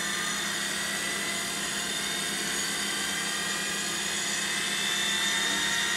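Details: 20-year-old Seagate PA4E1H 5.25" full-height 1.3GB SCSI hard drive (from a Sun external enclosure) powering up: steady high spindle whine with fast, even head-seek chatter over low hum, loud but normal spin-up.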